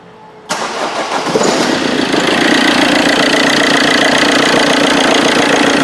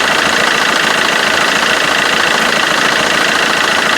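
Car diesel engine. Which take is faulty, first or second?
first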